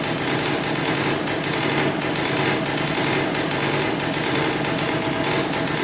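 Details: 2003 Polaris Sportsman 90cc two-stroke ATV after new top end and oil pump, premixed 40:1 for break-in: steady even high-pitched buzz, no misses, knocks or rattles; normal idle after restart.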